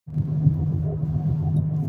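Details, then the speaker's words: 2012 Infiniti G37 driving: deep, steady rumble under the car from a front wheel bearing beginning to fail, without the typical humming; passenger-side CV axle boot also leaking. "is Chris, Q37 VHR, and what you're hearing is a wheel bearing beginning to fail in a 2012 Infiniti G37"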